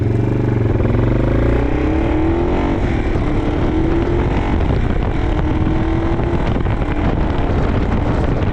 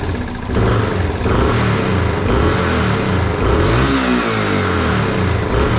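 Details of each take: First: 1987 Yamaha TW200 trail bike on a test ride after a no-start repair: harsh, loud, raspy exhaust note under steady riding, from an exhaust leak at the header that needs fixing; otherwise runs great. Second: 1987 Yamaha TW200 single-cylinder after no-start repair (new petcock, float valve checked), started without choke: catches quickly, revs smoothly, returns to steady idle, no fuel leak, normal start and rev; idle slightly rough, may need mixture adjustment.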